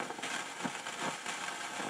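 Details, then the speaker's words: Realistic STA-2500 receiver: irregular crackling, fizzing and hiss; bar antenna tested fine; owner suspects a faulty coil or capacitor (silver mica, or ceramic tubular inside inductor/transformer cans), not confirmed. "but you can hear it's crackling and fizzing and hissing so yeah I'm I'm just ready to pull my hair out here ok"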